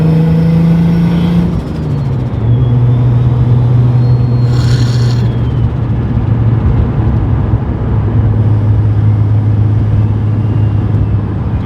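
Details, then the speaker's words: Turbo BMW E34 after its boost leak was found: the note drops at a shift, then pulls at a steady low drone without climbing hard. The wastegate (spring unknown) opens instantly, far too early, so boost builds only enough to open it. "Yeah, I don't know what spring's in there, but it opens instantly. Yeah, it doesn't feel like you're building a lot. It's definitely building enough to open."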